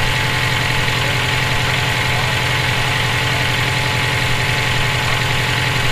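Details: EJ257 engine knocking at idle for about 17k miles since purchase; dull, fairly even tapping, three to four a second. Owner suspects rod knock, spun bearing or valve lash needing adjustment; source unclear.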